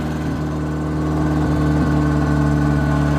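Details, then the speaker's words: Chevy Tracker two-door 8-valve, earlier misfiring, that before only coughed and sputtered. After replacing the poorly firing spark plugs, a cheap fix, it idles smooth and steady with an even low beat and no missing pulses: a normal idle. "you know those weren't firing the best last time i tried it it wouldn't even uh start like it just coughed and sputtered and everything like that and now it's running great"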